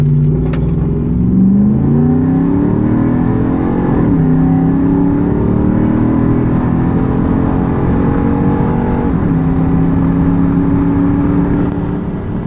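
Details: Engine pulling up through the gears sounds flat and slow to climb, no power in 2nd gear; owner attributes the power loss to a worsening exhaust manifold leak.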